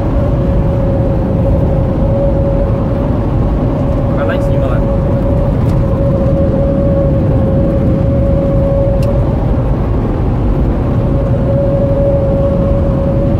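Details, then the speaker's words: 2010 Toyota SW4 on a pre-purchase road test, cruising: thin steady whistle above road rumble from air passing the roof rubber seal. "agora todas as peças se encaixaram esse é o barulho turma que eu falei para vocês que faz aqui na borracha no tempo"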